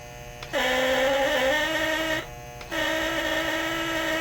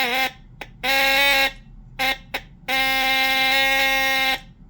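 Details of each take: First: Lionel Postwar Santa Fe 2383 toy diesel locomotive horn after rewiring and tuning, two buzzing blasts stepping between lower and higher pitch instead of one tone; unstable horn pitch, cause unknown. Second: Lionel postwar Santa Fe 2383 model locomotive (probably 1958) horn after refresh and reassembly, pitch adjustment screw set, relay closed: steady buzzing blasts, short and long, even pitch, clean starts and stops; horn works.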